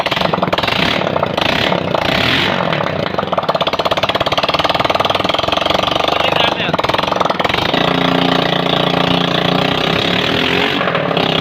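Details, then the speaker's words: Honda Pridor single, first start after head/cylinder overhaul, new piston rings and new spark plug for engine noise and oil loss; silencer off, loud rapid crackling beat holds steady without slap or knock; running fine. "जी तो दोस्तों आपने देखा अल्हम्दुलिल्लाह bike हमने मुकम्मल तौर पर असम्बल करने के बाद स्टार्ट भी किया। स्टार्ट करने के बाद आपको इसका सलेंसर लगा कर भी चेक ज़रूर करवाएंगे।"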